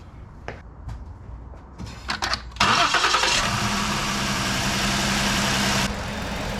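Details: 2018 Ford Explorer right after an alternator replacement: a short crank catches quickly and settles into a smooth, even idle with no knocks or squeals; charging then reads 13.5–13.6 V, so it is charging fine.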